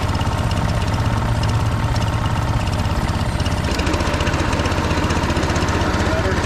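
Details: Husqvarna HU 625HWT string trimmer, a non-runner, started after repair work: fast, even buzzing beat around four pulses a second with no misses or rattles; running healthily.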